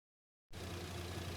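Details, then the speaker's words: Lexus GX470 after alternator replacement: smooth, steady warm idle with no stumble or whine after a little over 10 minutes idling on the brand-new alternator. The engine sounds normal. "it's been a little over 10 minutes still sitting here idling sounds like it's running it sounds like normal"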